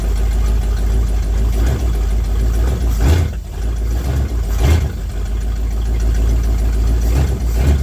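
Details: 1979 Ford F-100 that sat for years, started after filling the float bowls, in cold snow: deep, steady rumble settling into an even idle with light swells, no knocks or misses. Normal idle.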